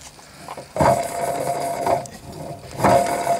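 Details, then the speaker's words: MTD ride-on mower deck spindle turned by hand: rough scraping squeal each turn from a worn bearing with play; shaft apparently not bent. "Il fait du bruit. L'axe, je sais pas s'il est voilé. Apparemment non. C'est un chouïa, mais ça doit être. Ça doit venir du jeu."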